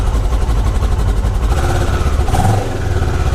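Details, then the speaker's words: Kawasaki ER6f/Ninja 650 (EX650) parallel twin idling after fairing rattle fix: even thumping idle, steady low beat, no buzz or rattle from bodywork; running fine. "That's just a thumping parallel twin. So far it seems fine, so let's just take it for a quick ride."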